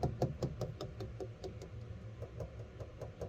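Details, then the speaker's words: 1967 Mustang body with roughly 25-year-old paint, checked before purchase: light fingernail taps two or three a second, tone pitch shifting over one patch, indicating body filler repair under the paint. "Now, one way you can check this stuff is to just tap the paint with your fingernail, unless you're like my twins and you don't have fingernails anymore because you bite your fingernails. But you can hear a difference in pitch"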